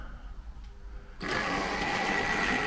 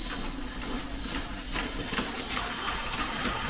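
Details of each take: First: Original 1963 Triang set locomotive; quiet start then a steady buzzy whirr with a high whine on top; typical Triang motor running normally. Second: Hornby 2022 Triang Remembered set modern locomotive on its first run straight out of the box; motor whirr over track rattle with uneven clicks and surges two or three a second; jerky running, owner suspects it sat in the box too long and needs freeing up.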